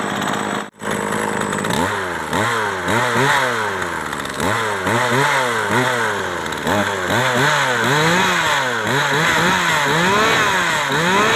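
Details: Chainsaw that stalled when hot, after carburetor cleaning and reassembly: starts, then revs up and down crisply about four times a second, climbing clean with no stumble; it runs properly.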